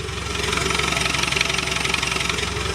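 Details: Land Rover Defender 110 Overlander diesel after transfer box swap and new clutch, no exhaust fitted, battery 12.7 V, microphone placed low: even, loud raw diesel clatter at idle with steady pulse; gearbox quieter, idling normally.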